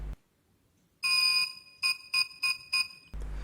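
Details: Xiaomi M365 electric scooter at start-up: one long beep then four short beeps, error 14, with lack of acceleration; faulty throttle, fixed by replacing the throttle.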